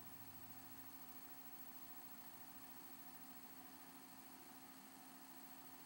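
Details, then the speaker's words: Xbox 360 console, normal running noise: soft steady fan whir with constant low even hum, much quieter than the loud console before it. "okay so as you can see it's not nearly as loud"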